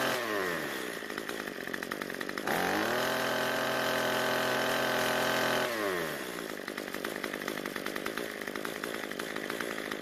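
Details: Cub Cadet two-stroke trimmer that died at idle from running lean. After turning the L screw about a quarter turn counterclockwise, it idles steadily, revs cleanly to a high even whine and drops back to a smooth idle without stalling.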